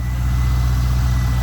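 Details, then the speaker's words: C5 Corvette after fixing click-no-start by finger-tightening loose starter solenoid wire: smooth steady low rumble at idle, even beat, no ticking or knocking, starting better than in past weeks; normal idle. "it's running it started up multiple times no problems it actually sounds a lot better starting up now than it has the past few weeks"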